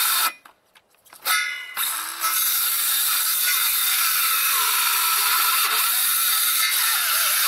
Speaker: You can hear it's alternated softwood with hardwood. The hardwood binds.